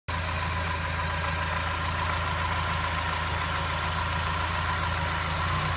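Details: Mazda MX-5 NA 1993 petrol engine idling with a steady low hum and a faint clatter riding on top; abnormal engine noise of unclear cause.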